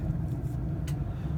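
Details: Furnace whose humidifier filter had not been changed in 7–8 years, recorded in front of the blower after the heat kicked on: a steady low even rumble of blower and burner with no knocking, rattling or squeal. Normal running.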